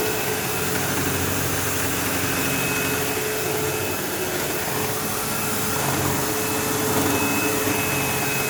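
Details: Sebo Automatic X5 upright vacuum running while vacuuming a living room: loud motor roar with steady high buzz and occasional squeal like a slipping belt; brush head vibrating. Owner suspects worn brush roll end material causing play; the belt had tension.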